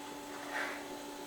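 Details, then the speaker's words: 2015 Subaru Outback Limited with Oxilam LED high and low beam bulbs replacing halogens: faint, steady high-pitched whir at constant pitch from the bulbs' small cooling fans, noticed on one side; normal but slightly noisy. "now I am noticing on this side specific speically you can hear the little fans running so keep that in mind that it is going to be a little bit noisy"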